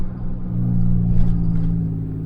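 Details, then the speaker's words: Diesel truck after repair, revved to 2500: deep steady drone of exhaust brake holding normally, releasing quicker, with a faint whistle on let-off. "yes it just sounds like an exhaust break again oh man"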